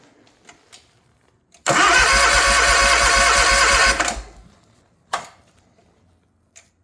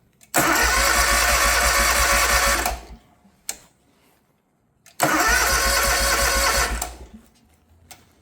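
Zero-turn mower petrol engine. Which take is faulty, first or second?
first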